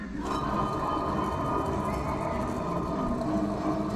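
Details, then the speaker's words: Ford Model A, front raised and wheel spun freely, no play felt; steady low purring rumble; worn front wheel bearing needing replacement. "Là, on entend un bruit de ronronnement. Donc là, le roulement il est haché. Donc lui, il est à changer aussi."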